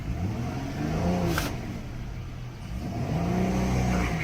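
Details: Car with check engine light on that had stopped pulling: engine revs under a low droning whine that swells and fades but car barely moves; suspected restricted filter starving the transmission pump, not confirmed.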